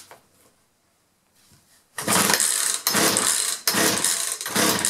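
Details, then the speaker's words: 2-stroke chainsaw that starts for a second then quits, spark present, fuel lines previously reworked by the owner, choke on: engine catches and runs in rough bursts that die back, never holding steady; fuel starvation from misrouted fuel lines. "obviously we got spark and he said it has spark must be a fuel problem"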